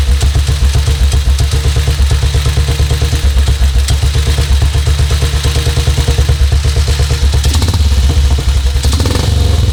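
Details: 1952 BSA M21 single with ignition timing set at 28: steady, evenly spaced thumps at a relaxed idle with no stumbling or misses. Smooth idle, much smoother than before; carb mixture screw not yet checked.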